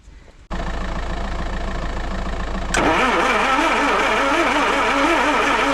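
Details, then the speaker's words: Land Rover 2.25 petrol, refurbished Zenith carb, new distributor, coil, leads, starter and lift pump, choke partly on, no accelerator connected: steady cranking rising in tone, never catches; no fuel reaching carb, lift pump suspected. "There's your answer. We're not getting fuel coming through. No fuel coming through. Back to the drawing board."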